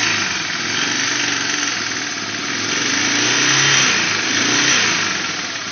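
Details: 1989 Honda Fourtrax 300, first start after a frame-off restoration: the engine catches and idles evenly, and revs swell and settle smoothly with no knocks or misses. Normal idle and revving.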